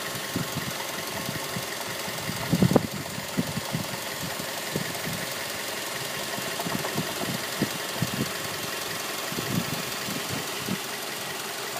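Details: 2006 Mazda 3 at idle: sharp, irregular ticking knocks over steady idle hum; internal engine knock, cause unknown.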